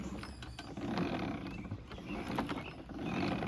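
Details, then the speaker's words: 2011 Toro 22" Recycler (model 20333), Briggs & Stratton 190cc: the self-propel drive makes quiet, uneven clicking and creaking that comes and goes in waves; it sounds ratchety, and the owner suspects the rear wheel gears need lubrication. "Uh, as far as the self-propelled goes, it sounds kind of ratchety. I'm not sure how this is going to come through on camera, but"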